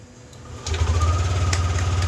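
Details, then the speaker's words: Yamaha NMAX V2 scooter, after overhaul for a noisy ticking engine knock (cylinder block, piston, rings, valve seals and crankshaft replaced), fires up and settles into a steady, even low putter with no knocking or rattle; quiet again. "Ah, balik na sa tahimik na buhay si paps. So, balik na sa tahimik na buhay. So, ito yung tunog niyang motor."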